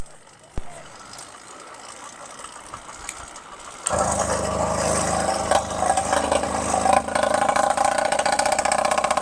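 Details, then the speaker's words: Phantom 85 motorized bicycle two-stroke engine running: raspy uneven buzz that surges and slowly returns to idle due to leaking crankshaft seals; otherwise runs fine mechanically. "but this bike is actually going under the knife because the motor needs some work. It runs fine mechanically, but you can hear it surge, you can hear it slow to"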